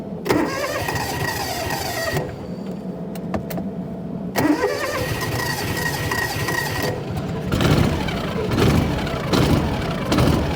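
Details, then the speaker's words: 1996 Argo Conquest after replacing the fuel shut-off fuse, with a bare wire to the solenoid that had caused a stall and no-fire: cranks in uneven bursts, catches and runs steadily with no misses or knocks; normal start. "We're back to life."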